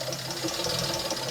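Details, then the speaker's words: British Leyland Princess 2200 automatic, cold engine, first run with new oil and fuel: light irregular crackle over steady smooth idle; owner suspects air bubbles in the system, one carb doing most work. "that's crackling i think there is some air bubbles in this system that is being pushed around"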